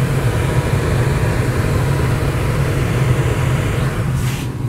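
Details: Rheem furnace after a blower motor replacement, done for a matted filter and bad blower motor: igniter and flame, then a steady low whoosh with an even hum and no rattles or squeals. Normal blower operation.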